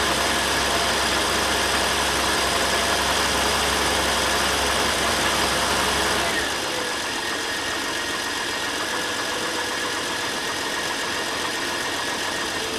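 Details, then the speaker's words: Ford Falcon just started after sitting all winter, fuel cell: uneven lope around four pulses a second, then settling to a quieter idle; rough running at first, owner blames the winter sitting. "well I ran a little rough at first but can you blame it been sitting all winter"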